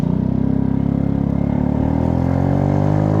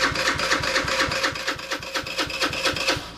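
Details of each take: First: PMZ50 Honda Grom clone with faulty wiring and solder joints but good stator and CDI, riding uphill at wide open throttle about 22 mph: engine climbs in pitch then sputters with irregular dropouts as the spark cuts in and out. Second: PMZ50 2020 Honda Grom clone with 139QMB GY6 engine, theft-recovered, cranking on the starter: firm, slightly uneven chuff about four per second with a gallop, showing good compression.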